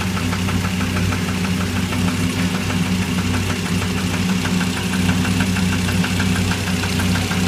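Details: SRT10 engine at idle: a fast, even, sharp knocking rides over the low rumble throughout; a clear internal engine knock, source not yet pinned.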